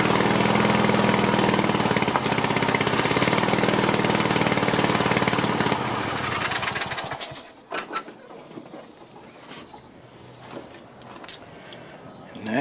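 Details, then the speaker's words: Cub Cadet LT1050 lawn tractor, Kohler 25–26 hp twin burning oil and running rough, run on one cylinder with other plug wire disconnected: even steady firing, no misses; this cylinder sounds okay. "side actually sounded okay didn't it see what that side sounds like"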